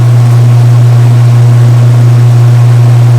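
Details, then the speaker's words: Direct-drive Whirlpool/Kenmore top-load washer after new tub wear pads were fitted (part 285744): a steady low drone with no banging or shaking, where before the repair it was loud and walking around. Normal smooth spin. "Hey guys, just for a quick comparison, here's what it sounded like and looked like after I had it all fixed. Remember before it was walking around, it was pretty loud."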